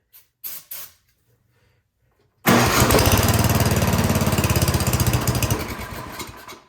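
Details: MTD Yard Machines 24-inch snowblower found with its carburetor unbolted. Refitted with a new gasket; on full choke with starting fluid it fires first pull, chugs evenly, then dies after about four seconds. Suspected fuel starvation.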